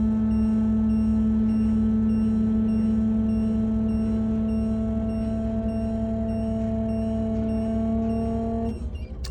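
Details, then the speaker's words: 2005 Winnebago Adventurer motorhome hydraulic leveling jacks, rear jacks lowering: steady electric pump whine that sags slightly as jacks touch ground and pressure builds, then cuts off; normal bog-down at jack contact. "And you can feel it, and you can hear a difference in the motor where it bogs down a little bit, that now that there is additional pressure in the hydraulic system."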